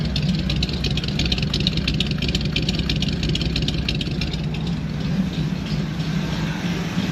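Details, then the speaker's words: Small block Chevy V8 after setting basic ignition timing (number one at top dead center, distributor reinstalled), previously would not start: steady, even low rumbling idle with no knocks or misses; running healthy. "See what happens. And that's what I was hoping to hear."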